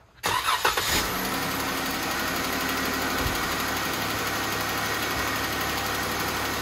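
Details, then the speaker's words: Jeep Wrangler engine tick that has grown progressively worse over the past month: engine cranks, catches and settles to steady idle with a light tick in the clatter, possibly a lifter or rocker, cause not confirmed. "it's getting progressively worse over the past like month well here I'll let you listen to it"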